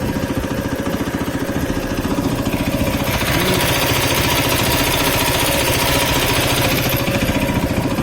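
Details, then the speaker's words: Motorcycle idling high at about 1700–1900 rpm instead of the specified 1500, running poorly with a fast, light, loud steady ticking over the engine note; valve clearances are out again and need adjusting. "the engine is just running like crap it's ticking quite loudly so that's indicating to me that the valves once again need to be adjusted"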